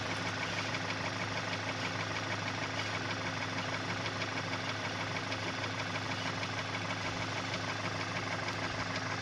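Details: Engine at steady idle with a faint, fairly regular tap a little over once a second on top; extraneous engine noise, source unclear.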